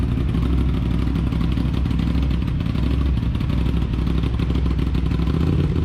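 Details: Aprilia RS 660 just after DNA air filter install: steady even twin-cylinder idle burble, no knocks, rattles or misses; running cleanly.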